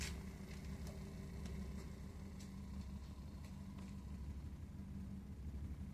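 Low, steady rumble under the running boiler with a few faint ticks on top; it's rumbling while firing, cause not yet known.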